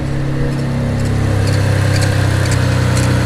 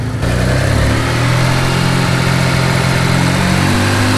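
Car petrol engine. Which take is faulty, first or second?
first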